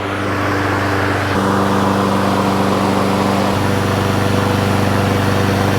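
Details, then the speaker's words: Brand-new Honda HRN216VKA lawn mower during its 30-minute engine break-in, just after first start: steady, even single-cylinder drone stepping up briefly; smooth, healthy normal running. "This thing rolls so incredibly smooth. It's amazing."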